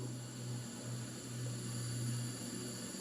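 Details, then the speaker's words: V8 engine cylinder 8, low compression, leakdown test at 6 bar with piston at TDC, heard at crankcase breather: constant airy hiss with low hum; high leakage, most probably collapsed piston ring or cracked piston, nothing at intake. "it is most probably a collapsed ring or cracked cylinder. Cracked piston. So you'll see the leakage is high."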